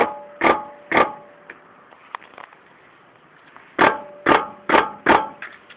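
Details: Toyota Corolla Verso: sharp ringing metallic knocks in pairs and short bursts about half a second apart, a loose clunk; attributed to the brake pads.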